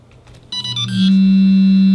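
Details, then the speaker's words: 3-axis gimbal on a BaseCam SimpleBGC controller during PID tuning, with P about 36 and D raised to 100. A sudden loud, steady high-frequency buzz sets in as the motors oscillate from excessive D gain. "There's our high frequency vibrations, as you can probably hear."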